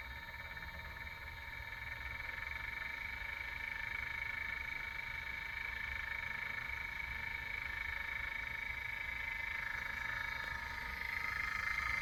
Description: I just set up the Anova Pro I got from Amazon and it makes a very loud clicking noise that's not present in any of the YouTube review videos.